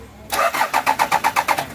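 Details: Toyota Prado 1997: starter turns the engine over at about six even pulses a second but it never fires or catches; crank, no-start condition, cause unknown.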